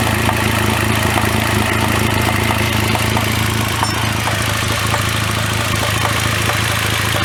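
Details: 2009 Cadillac CTS 3.6L LY7 RWD with 6L50E automatic at steady idle: light, slightly uneven tapping about three per second, too inconsistent for a rod knock, loudest through the transmission inspection cover by stethoscope; flexplate failure, perimeter separated from plate.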